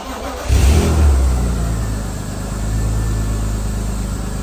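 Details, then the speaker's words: BMW M Coupe S52 inline-six after new spark plugs and ignition coils to fix a misfire suspected on cylinder 4: catches, revs briefly, then settles into a steady, even drone with no stumble; normal running. "so I just cleared the check engine light because like I said it's sounds like it's running perfectly smooth now"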